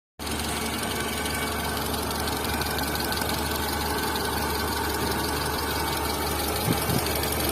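Steady idle with a fine, even ticking riding over the engine hum, with no change in pace; points to camshaft noise.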